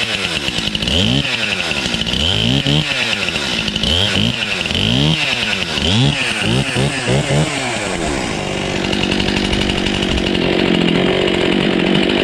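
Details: Husqvarna 235 X-Torq chainsaw, pulled from a snow bank and restarted on primer, full then half choke, with little fuel; catches, blipped through several quick rev rises and falls, then settles to a steady, clean two-stroke buzz; normal running.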